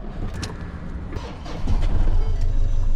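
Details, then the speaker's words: Limited-edition (1 of 16) Scania V8 truck that had broken down and was awaiting recovery: the big diesel catches and settles into an uneven, lumpy idle with irregular pulses. Running rough; cause not known. "Oh, sounds a bit rough. Don't really want to leave it running."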